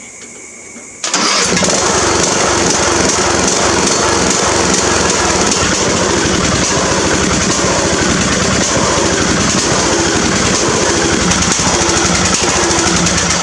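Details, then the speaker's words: Mower with a transplanted small engine, new fuel hose and filter, started by jumping the solenoid: catches straight away and settles into a steady, even run with no misses or knocks; normal start and run. "I'm just going to jump out the solenoid and run it. So I'm going to go ahead and fire it up"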